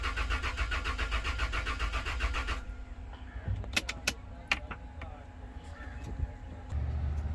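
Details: Toyota Land Cruiser: steady starter churning about four beats a second for under three seconds, never catching: cranks but won't start; fuel pump suspected, not confirmed.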